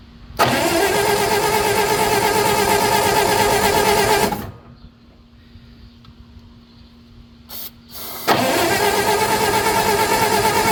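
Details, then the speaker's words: Old Bobcat, allegedly 610, unrun for years, 12-volt system with weak spark and only 8 volts at coil before ballast resistor bypass: two long bursts of steady cranking, about three beats a second, no firing; cranking, no start. "this is a 12vt system um had really weak spark but I only had like 8 volts back at the coil so I just bypassed the Ballance resistor"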